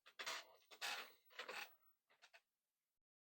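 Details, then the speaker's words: Commodore 1541 disk drive reassembled after fixing a small out-of-position arm that stopped disk ejection, running a test program: short rasping bursts of head stepping (banging the head), then quiet; sounds good; normal drive test. "Banging the head. Sounds good. So this will let it go through its testing, and then I can decide that this disk drive is pretty okay."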